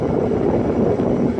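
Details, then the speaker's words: Sharp Comfort Touch 8,500 BTU window air conditioner on its high fan setting: a steady, droning low-mid hum with a slight waver and no rattles. Loud humming. "it makes it over a loud humming sounds on high alright here we go"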